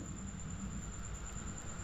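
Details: Sharp single-door fridge with a newly replaced compressor, charged to 60 psi while off, then plugged in; drawing 0.4 A as pressure drops. Steady low hum and rumble, no knocks or rattles; compressor starting and running normally.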